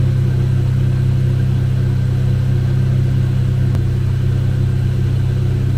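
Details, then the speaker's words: Chevy Cobalt SS (LSJ) with supercharger refitted on the old gasket, pending rebuild, after reassembly: smooth, steady low hum with even pulse, no misses or knocks, running good; intermittent hard-start issue remains elsewhere. "sounds like she's running good"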